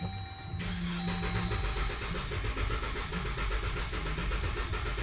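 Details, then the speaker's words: 2014 Dodge Durango 3.6L 4x4 with P0304 cylinder 4 misfire, coil and injector already replaced: starter cranking about four beats a second with one lighter beat; compression issue, worn camshaft lobe. "you can hear the compression as you you can hear a compression issue"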